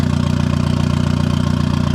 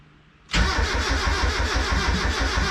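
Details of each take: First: Turbo Miata with hood-dump turbo exhaust, first start after clutch and flywheel install: steady, even idle with quick regular pulse and no knocks or misses; good AFR and oil pressure, running healthy. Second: Turbo Miata first start after a clutch and flywheel job: the starter cranks steadily at about three beats per second but the engine never fires, and it reads lean. Cause: fuel feed and return lines swapped, pushing against the fuel pressure regulator diaphragm.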